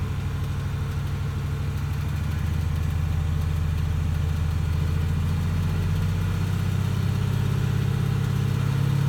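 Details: 2018 Mustang GT V8 idling with a deep steady rumble and a faint, uneven light ticking rattle. The dealer had it 10 days awaiting word from Ford; cause unknown.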